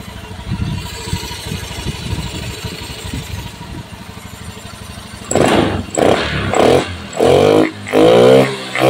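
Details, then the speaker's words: Honda Beat FI after new piston fitted for harsh-sounding engine: even idle then sharp throttle blips rising and dropping cleanly, CVT and engine both smooth, even without the mic; ready, one-year warranty. "Monggo Mas unit Honda beit F Mas punya jenengan on engine mesin alus ya Mas bagian CVT terus mesin Tengah halus Mas suarane WS halus Mas on engine tanpa mikrofon B tetap halus bol Akung ready"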